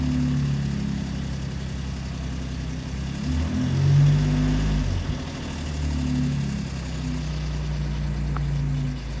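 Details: 2017 Ford Raptor at 130k miles, cold start after sitting two weeks. Cold idle carries an extra droning note that swells, then fades as it warms and hasn't returned; cold-start engine noise, cause unidentified.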